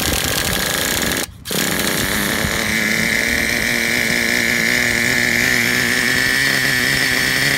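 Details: Traxxas Revo 3.3 nitro RC truck engine, retuned: buzzy two-stroke settles into an even idle, steady note, no stumbling; healthy. Engine good; transmission, stripped spur gear, starter motor and one-way bearing need replacing.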